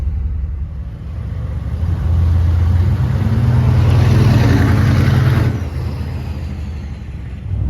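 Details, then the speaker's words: 1995 Chevy K1500 6.5 turbo diesel on the road, 24 inHg vacuum, 0 boost cruising: deep steady rumble swelling smoothly under acceleration then easing, no knocks or misses; normal engine while driving. "All right, we're out on the road. It sounds great. Very happy with it."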